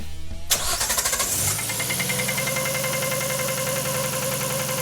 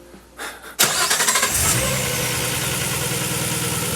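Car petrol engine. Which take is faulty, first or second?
first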